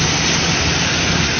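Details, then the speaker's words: Cadillac DeVille idling in park after a fuel pump replacement, with the air suspension raising: steady, even idle with a smooth rush and no knocks, misses or surging; engine healthy. "All right, guys. Here she is. She's running. She is alive."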